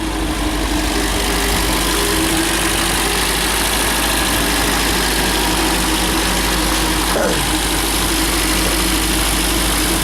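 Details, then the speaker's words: MGB GT after head gasket replacement, head repaint and electronic ignition fitted, warm after a 15-minute drive: steady, even idle held a bit fast with no misses or knocks, temperature holding; normal, slightly fast idle. "just ticking it over a bit fast but it's holding the temperature"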